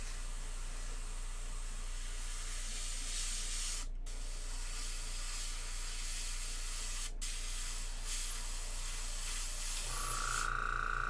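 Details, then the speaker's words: Steady airbrush hiss with trigger gaps while painting miniature wings, then a thin whistling tone indicating a dry tip, dried paint on the needle tip. "When you hear that whistling sound, that's the dry tip."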